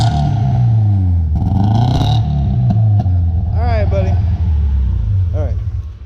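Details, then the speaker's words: Nissan S13 with a newly installed built KA24DE short block: lumpy, uneven rumble with a stumbling beat as it revs; running on three cylinders, with a replacement injector on order. "running on three cylinders but yeah all it counts it runs pretty good on three"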